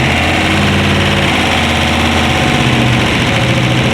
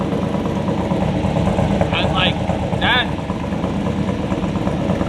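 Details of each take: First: LS V8-swapped BMW E46 with unequal-length CTS exhaust manifolds, one flipped and merging into the other: lumpy, slightly irregular exhaust beat over a healthy-sounding engine; bumpy note attributed to the header setup. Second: LS V8-swapped BMW E46 with unequal-length manifolds, after checking everything over: deep, choppy idle with an uneven lope but steady pace, no ticking; sounds much better, as expected for this setup.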